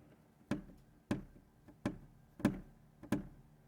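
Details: 2019+ Acura RDX sunroof wind deflector (windscreen), flicked by finger through the weatherstrip after fix: sharp single taps every half to one second, each dying cleanly with no buzz; previously rattled badly, now secure.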